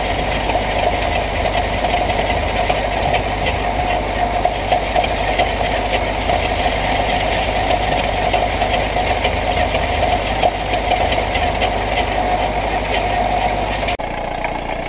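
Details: 1968 Buick Skylark Custom V8, abandoned since the 1980s, runs after reconnecting a spark plug wire pulled out of the cap, on booster charge: uneven lumpy beat with clatter, running but still rough and not firing cleanly; cause not confirmed.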